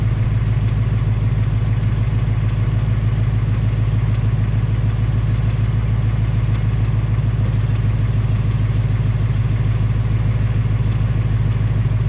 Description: 2018 MUSTANG GT MOTOR NOISE ENGINE RATTLE ON ITS SECOND MOTOR FORD ALREADY REPLACED THE MOTOR ONCE AND NOW THE SECOND MOTOR IS MAKING TAPPING/KNOCKING SOUND WITH ONLY 1200 MILE ON IT. CAR IS BACK AT THE DEALER